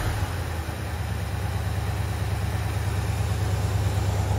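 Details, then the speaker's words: Recreation L79 small-block in a 1965 Malibu SS after new seals, warmed up (not fully): deep, even V8 idle, about three pulses a second. The tick has gone; sounds healthy. "all right now we're sounding a lot better uh it's warmed up I don't know if it's completely warmed up but the tick went away which is good"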